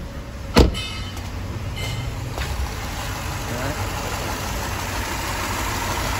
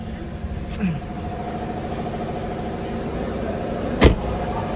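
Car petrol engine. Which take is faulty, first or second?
first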